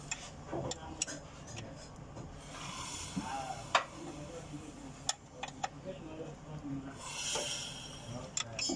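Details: Toyota 1ZZ petrol engine with a split flywheel: sharp, uneven knocks cut through the low engine run as the cracked flywheel turns.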